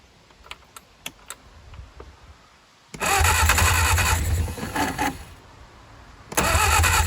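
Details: 1959 Reliant Regal Mk5/Mk6 three-wheeler unrun 20+ years, fuel trickled into carb, timing uncertain; quiet clicks, long starter cranking bursts with brief ragged catches, never runs; carburetor flooding from stuck float.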